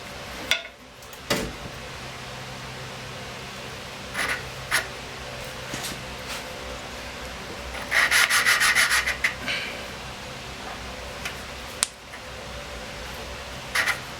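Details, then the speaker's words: Snow blower engine with low power, disassembled, not running: slow back-and-forth gritty rubbing as the valve is hand-lapped, the grinding easing as it seats. Owner suspected a valve not seating. "Nice and light. Back and forth. You can hear it changing sound, getting less grindy, a little bit more."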